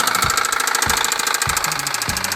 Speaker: 是因为活塞与气缸壁的间隙过大了，活塞在上下运动的时候会横向摆动，碰撞气缸壁发出的声音。